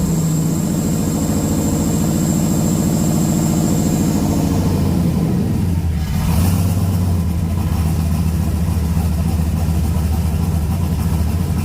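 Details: 6.0 LS-swapped S10 during turbo install, breathers disconnected, needs tuning: loud unsilenced V8 hunts unevenly at idle then blips up and down; ragged, rough running, cause not confirmed.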